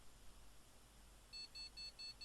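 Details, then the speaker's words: Gigabyte GA-Z77X-D3H motherboard with damaged CPU socket pins, first power-on: fans run, fast continuous high beeps about five a second over quiet room; powers on but won't boot, cause not yet known. "it's bleeping it's making a fast continuous beep beep beep beep beep beep beep"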